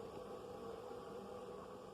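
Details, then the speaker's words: Proscan LED TV with volume turned up, on tuner: steady soft hiss with faint low hum, no program sound, regardless of channel; audio output hiss, cause not identified. "You can still hear. You can hear the hissing. You might want to take that into consideration. You just hear more hissing."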